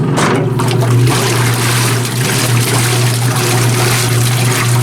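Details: Antique Maytag wringer washer after heavy maintenance, filled with water and the pump checked: a steady low motor hum with rhythmic sloshing of water and clothes. Agitation is even and healthy.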